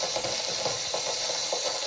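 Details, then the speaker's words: Water heater flush with drain ball valve barely cracked open under city water pressure, heater flushed recently: constant high hiss of rushing water with faint gritty crackle as fine sediment passes through the drain. "That's just the little fine stuff because I have it barely cracked open. And you can hear it coming through."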